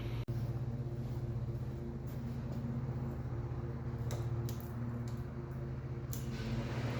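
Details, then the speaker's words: Kawasaki Brute Force engine just reassembled after replacing failed Caltric eBay camshafts: steady even low burble above normal idle, starts easier and sounds much better. High idle to be adjusted down manually. "High idle, we're going to adjust that down manually on that side, but it sounds way better."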